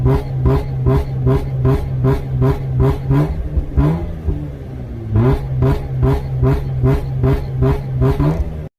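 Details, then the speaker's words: Mazda RX-8 rotary with new Versatune tune: held at the launch control limiter, cutting in and out about two and a half times a second in a choppy, popping burble; launch control working. "It seems to be running all right. Launch control works. Obviously, it's launch control."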